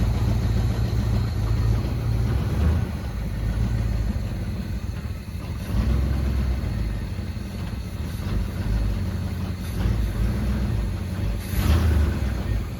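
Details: Grandpa's 1974 Chevy C10 after sitting about 5 years, fed by an inline fuel pump from a temporary tank: deep low rumble at steady idle with mild swells in loudness and no knocks; idling normally.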